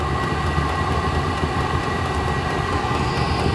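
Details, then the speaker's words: Diesel cabin heater at start-up with the glow plug still on, drawing 114–116 W: steady loud jet-like combustion roar with constant fan whir, no pulsing or sputter; burning cleanly, running normally. "all right listen to that baby taking off like a dang jet airplane"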